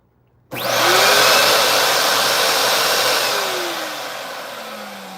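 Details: Bissell vacuum with a no-power fault, plugged in and switched on after refitting the connector: motor kicks on sharply into a loud steady rush with a high whine, then slowly winds down; runs fine, cord not yet checked.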